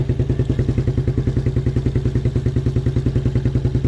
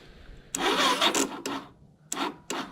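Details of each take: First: 1987 Suzuki Quadrunner LT230E ATV single-cylinder, cold weather after throttle and air filter replacement, started with hand over intake as choke since choke cable frozen; quick even thumping idle, every stroke on time, no misses or stumbles; healthy idle. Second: 1987 Suzuki Quadrunner LT230e after throttle and air filter replacement, gas turned on: several short rasping recoil pulls, each dying away with no firing; cranks but will not start, cause unconfirmed.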